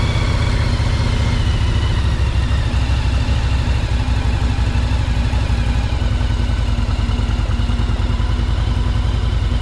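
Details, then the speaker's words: 1984 Yamaha Virago 1000 V-twin after installing cleaned fuel tanks and carburetors and fixing carburetor flooding, started on choke; even loping beat holding a steady idle with no stumble or clatter, running properly. "There. Well, that fixes the problem. It runs pretty good, too. It's awesome. It's running really good."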